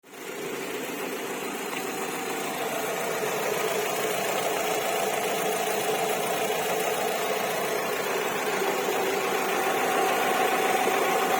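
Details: 2007 Alfa Romeo 147 1.6 Twin Spark 105 hp near idle: a fast, fairly even high chirping over the engine like cicadas, about four per second. Source not pinned down and cause not confirmed.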